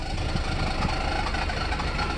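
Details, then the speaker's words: 1994 Mercedes SL600 V12 just started after battery recharge, in limp mode with ASR light: an uneven, lumpy low idle with a stumbling beat instead of a smooth hum. Feels like running on 6 cylinders; cause not confirmed. "Okay. Well, that doesn't sound, this engine doesn't sound happy. Okay, so it is in limp mode, all right."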